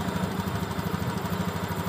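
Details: Honda Beat ESP injection scooter with the idle adjusted to about 1300–1500 rpm, bolt not yet tightened: a steady, even single-cylinder putter with a regular low thump and no stumbling. Normal, healthy idle.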